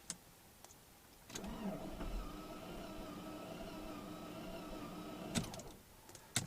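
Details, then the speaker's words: Saab 9-5 2.3L after engine rebuild, quit at about 80 km/h, code P301 (as read), intake cam found advanced: starter spins fast, light and even with no compression pulses, won't fire; low compression from bent intake valves. "see it turns over really easily and uh that's uh odd"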